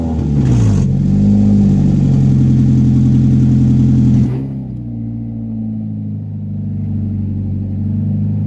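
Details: 1996 Honda Prelude Si H23A1 after engine install, in neutral, on old fuel with some vacuum lines left unconnected, owner says it leaned out. Very loud exhaust revs, then a lumpy idle that breaks up; rough running, cause unconfirmed.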